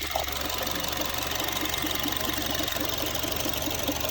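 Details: Honda Freed at steady idle during an inspection, A/C possibly off: a light, fairly quick tick, a little over two per second, sits over the hum. Source not pinned down.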